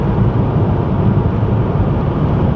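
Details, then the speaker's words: 1988 Chevy Cavalier Z24 cabin at highway cruise, cruise control set at 65 mph: only steady low road rumble, no wind leak through the seals or dashboard/door rattles; quiet, healthy cabin. "do you hear that what you're hearing is silence there's no wind leaking through the seals there's no rattling from the plastic dashboard or the plastic doors the cruise control is set at 65"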